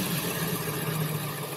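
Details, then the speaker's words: Ambulance being converted to an RV, started on one battery after much wiring was removed: a low, even idle rumble that holds steady with no misses, knocks or hunting; it runs fine. "I want to see if this thing will run. I just got one battery hooked up, so we're going to see if we can get it to start."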